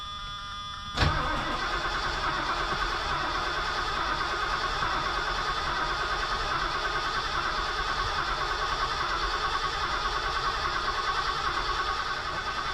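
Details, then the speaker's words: 1979 Lincoln Continental revived after six years sitting, cranking on a replacement spare starter: steady even whir, no clunks, oil pressure light goes out while cranking. Normal cranking before fuel and spark are sorted. "So we got oil pressure. No, that is good that it has oil pressure just with the starter. And there's no clunkity clunk."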